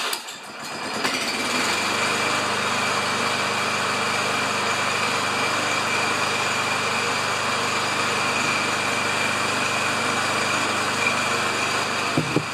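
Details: Self-propelled Lawn-Boy mower with Kohler engine, choke not working: catches and settles into a steady, even high-pitched drone with no surging or sputter; running properly.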